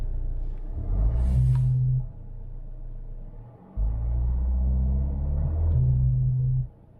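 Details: 2012 Vauxhall/Opel Insignia 2.0 CDTI diesel: low droning buzz coming and going over the engine rumble, traced to the turbo wastegate actuator vacuum hose (part 55587330), replaced to fix: turbo wastegate vacuum hose buzzing.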